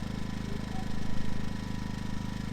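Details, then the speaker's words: Ryobi generator, about three years old, after fixing a hard start caused by a stretched or loose choke cable: test start gives a steady, even low hum with no misses, surges or knocks; runs great. "let's give her a quick test start here make sure she runs and again this was for a hard start not a runability issue fantastic she runs great"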